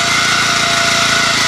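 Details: 1981 Honda F200 garden tiller, small single cylinder, warm-up run after sitting about a year on fresh gas, tines in the air to circulate oil: fast, even buzz with no misses or knocks; normal healthy warm-up.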